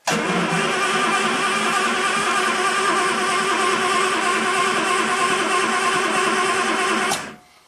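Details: 1967 Triumph GT6 parked since 1999, after fresh oil and carb bowls filled, battery charger at 13.5 V, choke on: about seven seconds of even cranking, roughly three turns a second, never catching or firing; cranks but won't start.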